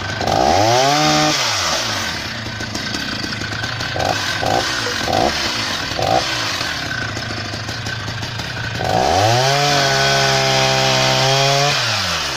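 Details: Husqvarna 480 CD chainsaw on its first tank after a full rebuild with new OEM piston and cylinder; strong two-stroke rises to full revs, holds steady in the cut, returns cleanly to idle. Normal running.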